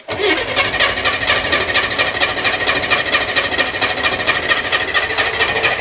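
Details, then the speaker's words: Spyder with four-barrel carb and electric fuel pump, cold start in rain on choke: steady starter whir with even cranking pulses about two per second, never catches; owner suspects flooding, cause unconfirmed. "huh should have started junk i don't know what's wrong"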